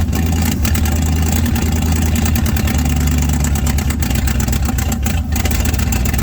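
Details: 1967 Chevrolet C50 truck, sat about nine years, running on choke at idle, mufflers rusted out: loud, deep, uneven rumble with a ragged low beat; exhaust leak from a missing passenger-side exhaust donut.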